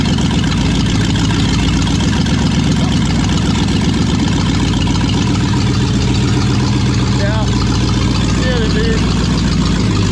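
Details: Brand-new V8 in a project car, just after first fire, open stainless headers, no O2 sensors or exhaust: deep loud lumpy burble with even firing and steady rpm; normal idle.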